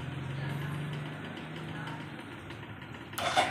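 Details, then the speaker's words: Suzuki Shogun Kebo motorcycle, starter motor spins immediately when the battery is connected, key off, button not pressed: steady low whirr for about two seconds. "Kita menghubungkan baterai. Benda itu langsung berputar. Lihat, kedengarannya langsung ."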